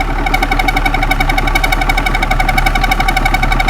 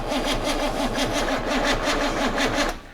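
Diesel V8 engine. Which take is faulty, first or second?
second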